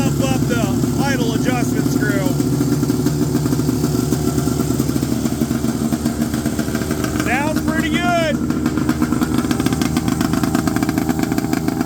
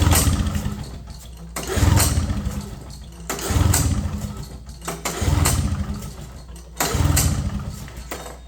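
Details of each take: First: 1970 Polaris Mustang snowmobile two-stroke, after loosening overtight throttle cables and adjusting idle: steady, even putter holding a settled idle with no hunting or misses; normal idle. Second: 1970 Polaris Mustang two-stroke snowmobile not started in 10 years, possibly flooded, plugs found wet. Repeated pull-start bursts about every 1.5 seconds turn it over, but it never catches.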